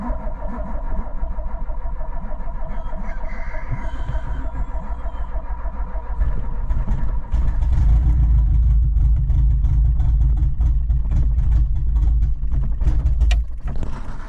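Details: 1986 Renault Espace engine build, carbureted turbo, first start after six months' work; fires up running rough and hunting with uneven low beat; lean from big vacuum leak, two forgotten hoses disconnected, idle near perfect once reconnected.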